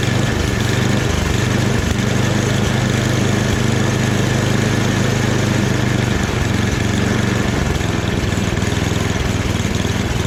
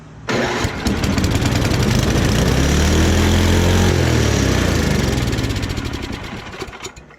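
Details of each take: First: Free snowblower after a full rebuild, small engine running at medium throttle with a steady, even putter and no hunting, surging or misses. The transmission works too, so it is running properly. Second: Free snowblower with small single-cylinder engine, first start: catches after a couple of cranks and screams to a flat-out high roar without settling; governor stuck open, choke line also not working.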